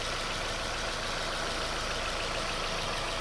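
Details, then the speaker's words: Suzuki SX4 after head gasket, timing chain and PCV valve replacement: quiet, even idle under a steady hiss, with no ticking, knocking or stumbling; the engine sounds healthy. "Sounds good. So far so good."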